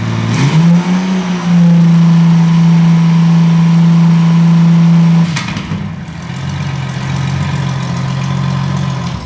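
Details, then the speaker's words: Derelict Honda Goldwing six-cylinder project, first fire-up with rescued exhaust collector fitted (previously raucous on open headers): smooth even deep drone, steady idle and clean rev blips, no popping or rasp; normal idle and revving. "There, glorious. What a sound. That is exactly what a 6-cylinder engine should sound like. Smooth and silky with a deep drone down in the belly of the bike."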